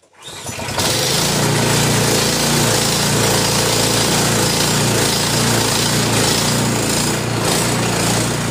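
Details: Husqvarna ST224 snow blower, single-cylinder engine after drive tensioner spring replacement: catches within a second and settles into a strong, steady run with an even beat; normal running, healthy.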